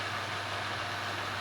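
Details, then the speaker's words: Inverter board fan after repair, tested on homemade bench gear at 99% duty cycle, variac supply 216 V at about 50 Hz: even, steady rush of air with constant low hum, no surges or scraping; fan running normally at full speed. "through the variac 216 V a frequency of about 50 Hz and the fan is spinning at full speed even if you can't see much maybe you"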